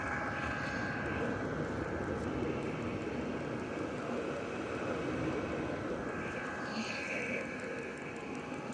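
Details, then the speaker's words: Vevor diesel heater in a truck camper after replacing the old ticking fuel pump with a new one: steady, even burner roar and exhaust, only a very faint tick from the pump, also faint from inside the camper. Quiet, normal running. "Took the old fuel pump off of the diesel heater, put the new one on. You can hardly hear it. This thing is so quiet. The exhaust is louder than the new diesel fuel pump."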